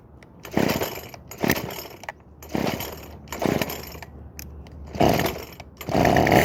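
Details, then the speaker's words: Craftsman WS2400 two-stroke pole saw bought used, starts but runs poorly: fires in short sputtering bursts that die away, then catches roughly; stale fuel mix and mis-set carburetor mixture. "in today's video I'll be going over on fitting this Craftsman ws2400 pole saw that starts but doesn't run very well"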